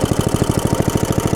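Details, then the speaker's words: Log splitter small single-cylinder engine after reassembly, running and smoking on choke: fast steady pop-pop at one speed, throttle has no effect, dies when choke is taken off; cause was forgetting to connect throttle cable. "take the choke back off it will die and the throttle seem to have no effect if I try to take this choke off"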